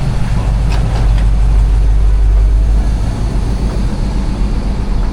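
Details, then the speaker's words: Chevy C10 truck with 350 V8, during front and rear end restoration: deep steady low rumble at idle with even beat, no ticks or knocks. Healthy idle. "Yeah, she runs. She sounds good."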